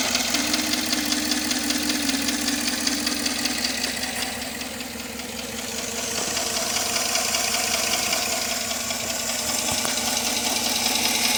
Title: Tahoe still noisy after lifter replacement